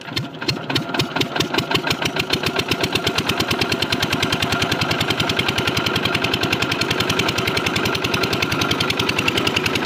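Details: Single-cylinder diesel water-pump engine thumping in a crisp regular beat that quickens then settles evenly after starting, with no misses or odd knocks.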